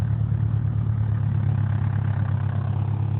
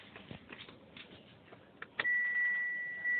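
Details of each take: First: Proton Inspira (rebadged 2008-on Mitsubishi Lancer) 2.0, morning start at idle: low droning hum with rough booming vibration, quieter in reverse or drive; broken engine mounts, to be replaced. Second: Inspira 2.0 / Lancer GT after engine mount replacement, heard from inside the car with aircon off: engine starts and settles to a steady, even idle without the previous droning or humming; faint chime in background.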